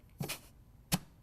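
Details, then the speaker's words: Rebuilt 722.9 automatic transmission on bench, compressed-air check of B1 clutch before valve body install; two sharp air bursts each with firm thud as piston strokes and holds, air escaping at nozzle. Normal clutch apply on air check. "is i'm letting off and air checking and i can actually pull the nozzle away and it's holding so well that air is escaping as i'm pulling it away so that's a real nice air check on the b1 clutch"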